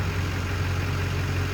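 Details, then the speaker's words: 2004 Duramax LB7 diesel after FASS lift pump install: low, even diesel clatter at idle with constant rhythm and no roughness; idling extremely smooth. "It's idling extremely smooth."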